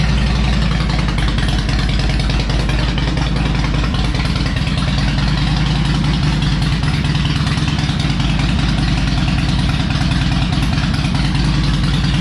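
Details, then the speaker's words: Harley Electra Glide owned almost five years, after new spark plugs, a cleaned air filter and fresh oil, not yet warmed up: deep, loping V-twin idle with steady even beat, no misses or pops, running better; normal idle. "all right i think she's running a little bit better youtube just a little bit now on a serious note though it really is running better"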